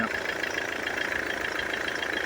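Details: Mercedes-Benz W212 E220, OM651 4-cylinder diesel, after replacing four injectors, with the check engine light cleared: steady idle with an even, quick clatter and no stumble or extra knock; normal idle.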